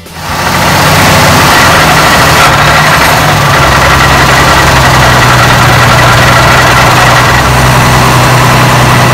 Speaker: the gear noise is caused by torsional vibration and is audible because the universal joints travel on the lips meaning they accelerate and decelerate twice for each single revolution of the driveshaft